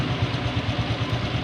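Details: Honda Revo motorcycle after replacing a worn camshaft bearing and resetting top timing, which had caused a crackling noise: even, steady single-cylinder idle with no knock or clatter, now running clean.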